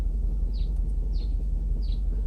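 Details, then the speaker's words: Mercedes S500 V8 at idle during a computer diagnostic, injectors switched off and software failing to reactivate them: only four cylinders running, heavy lumpy uneven thrumming that shakes hard. "Number 8. Oh yeah, 4 cylinders only running. Oh yeah, that is a shake and a half."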